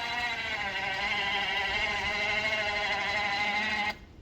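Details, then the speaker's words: Badland 2500 ATV winch on a Yamaha Wolverine, newly installed after the old one failed in storage, lifting with the fuel off: steady strained electric whine for about four seconds, then cuts off; owner suspects the battery may be weak; winch motor labouring under load. "Sounds like it's struggling, but that could also be the battery."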